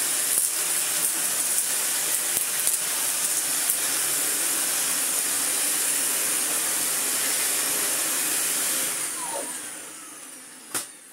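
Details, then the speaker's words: Dyson DC41 upright vacuum, first power-on test before servicing: high steady whooshing motor whine with no rattles or scraping, then spin-down; motor runs fine and brush roll spins with no strange noises. "The major things are that the motor runs absolutely fine and the brush roll spins with no strange noises at all."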